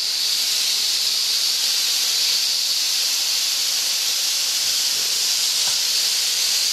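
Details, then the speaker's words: Steam engine safety valve being set on a boiler: steady loud high-pitched hiss with no rumble as the safety valve lifts and vents steam; it popped off at 120, now at 80, still being adjusted. "the injector now it's really popping off now I got to I'm still adjusting it now I popped off 120 now it's 80 so that's way off"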